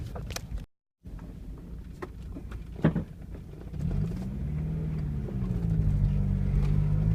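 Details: Mazda Miata engine running: low rumble broken by sharp, irregular pops, a few clearly standing out above the running note.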